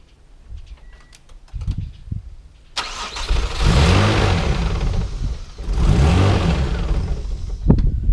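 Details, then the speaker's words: Mazda KL-DE 2.5 V6 swap, cold start in diagnostic mode, timing 10°, idle air screw three turns open: cranks briefly, catches, flares, settles to raised steady idle; normal cold-engine fast idle. "got a fast idle going at the moment cuz the engine's cold see what happen when she warms up"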